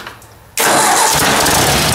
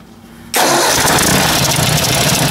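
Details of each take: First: Ford 800 tractor low on fuel, fired up: it starts straight up and settles into an even, steady run with no bang or knock. The bang is pretty much gone; normal idle. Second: Ford 800 tractor engine starting and running: a light tick about four times a second under the valve cover, heard clearly at shutdown.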